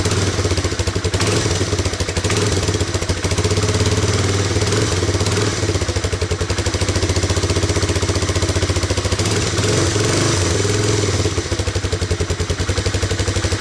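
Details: Honda Big Red ATC250ES after carb and intake cleaning, fresh stabilized fuel with Sea Foam and a charged battery; started with choke on, steady, even single-cylinder putter at a low idle, set slightly low and might stall, with no misses or knocks.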